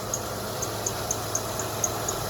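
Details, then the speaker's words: 2011 Honda Pilot engine at idle on a cold day: sharp bird-like chirps about four times a second from a worn, cracked serpentine belt slipping; squeak stops in hot weather; belt and tensioner suspected. "see that's the weird part it'll stop squeaking when it's hot outside but when it's cold"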